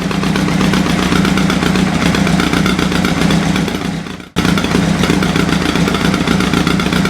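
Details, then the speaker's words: Engine at its first start, warm, no choke, exhaust checked by hand: a lumpy, stumbling idle with one cylinder not firing, so it runs on three cylinders. "that one's not firing right yeah i can hold the exhaust that's not firing there's n1 we're running on three"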